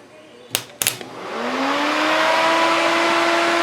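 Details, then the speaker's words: 1991 Porsche 944 S2 with a 6.0 365HP engine swapped in. Its cooling fan had been slowed by resistors to 6.5 V; here it is wired straight to the battery by a jumper, with the MSD supplying ground. Two clicks, then a rising whir settling into a strong steady hum; normal full-speed fan. "there we go. That's what it should sound like. That's blowing some serious air now."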